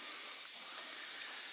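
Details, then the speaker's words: Old truck air system, engine off: a steady sharp hiss of escaping air from a leaking quick-disconnect fitting on the air line, to be replaced with a compression fitting. "I hate those stupid things I hate those quick disconnect fittings I don't know why I needs a quick disconnect"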